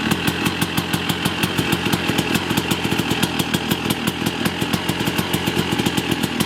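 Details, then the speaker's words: Yamaha YZ250 two-stroke after rebuild and fixing an electrical fault, first start: crisp fast even ring-ding popping on choke, cold and warming; running cleanly. "I'm gonna start it up and let it run for like 2 or 3 minutes. Take the choke off, and then and then that'll be the end of the video."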